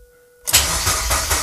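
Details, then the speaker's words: Mazda MX-5 Miata, first start attempt after the engine was reinstalled, plugs refitted: about one second of fast, strong starter cranking with no catch. No fuel is reaching the engine and the owner suspects the two fuel hoses are swapped; cranks, no start. "est-ce que j'ai inversé les deux tuyaux il y a pas d'essence là d'accord il y a pas d'essence"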